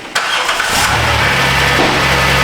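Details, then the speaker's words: 2010 Dodge Grand Caravan 3.3, which bogged down and stalled, starting after installing a used PCM from a salvage yard; short crank catches quickly and settles to a steady even idle, starts and runs normally. "all right good so the used computer from Wilber you bath that sponsor is a good one it starts and runs"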